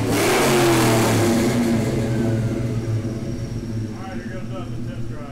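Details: Ford 4.6/5.4 2V Triton V8 starting after permanent thread repair of a blown-out spark plug hole, about six months without cranking: catches and settles into a smooth, even low rumble with no misfire, tick or miss; running healthy.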